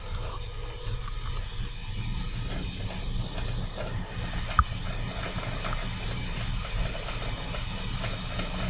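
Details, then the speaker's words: Shinko steam turbine startup: blow valve opened slowly toward 3,000 kg/h, with the steam going through or bypassing the turbine and venting out the stack; steady, even rushing hiss with low rumble underneath; normal line blow. "Okay guys, so we started our blast. If you have a look at the stack, you can see there's our steam being released."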